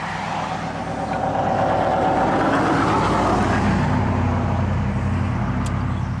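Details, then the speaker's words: 1994 Ford F150 just started after injectors removed and serviced, new plugs and EGR fixed, previously single-cylinder misfire: even steady idle, smooth low rumble, no stumble or ticking; running better. "A little bit, but it sounds better already. Does it rev up okay?"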